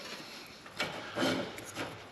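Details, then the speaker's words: LS engine being fitted into a drift Nissan Z, turned slowly by hand. Quiet, uneven scraping rasps come from the power steering pump pulley rubbing, apparently because the engine sits further back. Pulley rubbing. "And this time it seems to be more this way, which is what I want. But the engine seems to be further back cuz now it's rubbing right."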